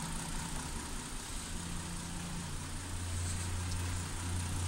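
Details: 2008 Hyundai Santa Fe at idle: low slow beat with a slightly uneven stumble about twice a second, one cylinder dropping out; ignition misfire being diagnosed with oscilloscope.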